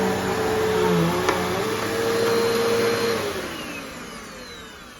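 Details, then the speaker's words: One of two Bissell Powerforce Bagless Turbo vacuums (6596 vs 6585) running in a comparison. A steady, smooth motor whine with even airflow rush, then pitch and level drop gradually as it spins down. Healthy motor. "so if you can hear the tones are kind of different if you know you know if you don't I don't really know how to explain it but if you're in person you can definitely tell these two Motors sound a little bit different"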